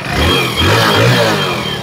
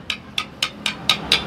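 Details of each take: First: Hero Splendor Plus BS6 motorcycle after full engine rebuild with original parts, started on self-starter: engine picks up cleanly and settles into a smooth even note with no knocking or rattle; sounds like new. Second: Hero Splendor Plus BS6 engine opened up, crank assembly shaken by hand: seven sharp metallic clacks about four a second; worn connecting rod big-end bearing with excess play, con rod and both side bearings to be replaced.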